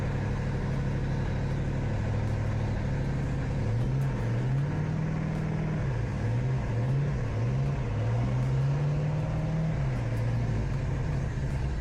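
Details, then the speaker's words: Pontiac Fiero with Ferrari conversion kit, Chevy 350 V8 on Holley Sniper EFI not yet set right: first start after fixing broken pushrods and rocker arms, no coolant in. Steady fast drone at too-high idle, running very rich and dumping fuel. "Thing's running fast. It's good for my lungs when I'm sick. It'll clear some [ __ ] out."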